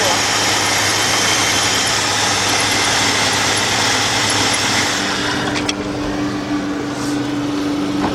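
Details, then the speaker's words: 2002 Jeep Grand Cherokee Laredo 4.0, code P0302, check engine light flashing, runs rough: loud idle with uneven loping beat about three pulses a second under a hiss; cylinder 2 misfire, spark plugs to be replaced. "And we can see the misfire. This thing is definitely got a misfire."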